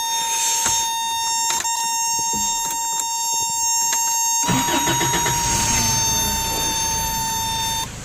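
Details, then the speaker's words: 1988 Toyota 4Runner, 22RE four-cylinder, a day and a half after a cranks-but-no-start repair: steady high chime, then the engine catches quickly and settles into an even run; normal start. "yeah she stopped and she wouldn't do that before yeah anyhow so as I said I'm not gonna try to really talk over the engine it's not that loud"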